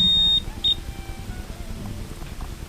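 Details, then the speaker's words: Multimeter in continuity mode with probes shorted together: sharp high beep of about a third of a second, then a short second chirp, indicating a closed circuit. "Now if you short the terminal probes, you will hear a buzzing sound."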